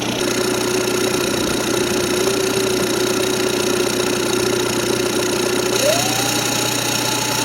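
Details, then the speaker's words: Turbodiesel VW Jetta donor car, cold start after sitting six months, glow plugs not working right, smoking a little when cold: hard, even diesel clatter at idle, then a rising whistle as the turbo spools. "she doesn't like to start when the glow plugs don't work quite right but oh she burns she smokes a little bit when it's cold give it a second the turbo will actually kick over"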